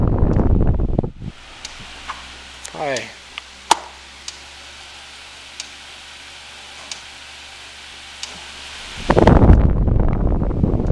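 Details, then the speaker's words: Repaired Fusion fan, previously dead, with overheat fuse issue, running on low: quiet, steady low hum with soft airy whoosh, no rattles or scraping; normal fan running. "start off with low oh that's a quiet fan good air mover too I'm already liking it"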